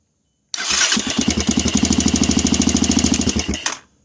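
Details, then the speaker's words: 200cc Chinese dirt bike (fake KTM) after soldering the wires and reassembling: starter spins the engine briskly with even pulses about three a second, no clicking or dragging; electric start working properly. "it worked it did a good job it works so that's all it matters"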